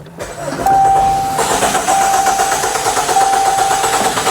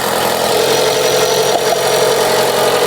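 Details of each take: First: Chrysler 200 (overheating and coolant leak repair), push-button start: dash chime pings repeatedly while starter churns several seconds before engine catches; unusually long crank-to-start, noted as odd. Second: Chrysler 200 after coolant leak repair and refill, idling during leak check: steady, even idle with smooth hiss, no knocks or misses; engine healthy, no leak around engine.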